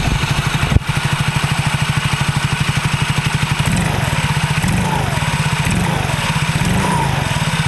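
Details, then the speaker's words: Soul GT automatic scooter, previously clicking and knocking from the rear final drive when revved, after repair with the mic aimed at the gearbox: even single-cylinder idle and clean throttle blips, no clunk or knock; final drive healthy. "Nah jadi bisaar suaranya Udah gak ada suara kayak tadi Matiin dulu Sudah gak ada suara kayak tadi itu udah enggak ada ya"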